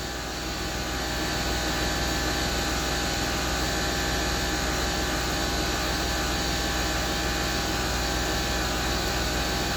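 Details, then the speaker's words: Land Rover Discovery 3, newly fitted air suspension compressor filling initially empty tank to maximum then stopping: even steady buzzing hum at one pitch, no rattles; normal running, though rising seemed a little slow. "pump's still going oh it's stopped that's it tank's full it's at his maximum he'd like so it did take a while the tank was empty"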